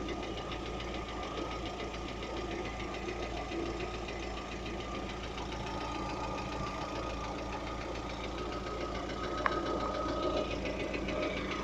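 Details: Lada Vesta engine at idle: light, fairly regular knock about three or four times a second; owner asks what could be knocking, cause unknown.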